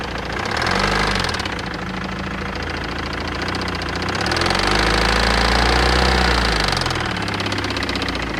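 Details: BMW E60 2.0 diesel, 2006: at idle a steady rapid knock of about four a second persists through two throttle blips. Knocking at idle, cause unknown.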